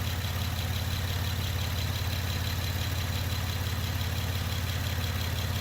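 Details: Honda Pilot SUV idling on a homemade 12V battery of revived dead A123 LiFePO4 26650 cells, battery reading about 14 V. Low, smooth, even hum at about 150 pulses a minute with no stumbles; healthy, steady idle.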